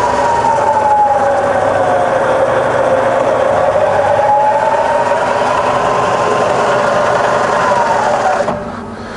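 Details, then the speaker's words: Bridgeport milling machine converted to 240 V single phase, spindle in low range at about 50–240 rpm, forward then reverse; smooth, even mechanical hum with no knocks or grinding, then it spins down, running quietly. "i fire up in low it's just as quiet and low but now we're doing 50 to 60 rpm there's 140 and that's on to 240 and you can hear it's lovely and quiet same in reverse just as quiet"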